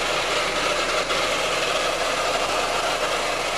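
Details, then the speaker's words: Peugeot 207 engine at idle: harsh, busy clatter loud over the camshaft area with little low rumble; valvetrain noise, cause still unknown. "este ruido nos lo acaba de traer nuestro cliente y el ruido se escucha fuertemente en la parte de las levas"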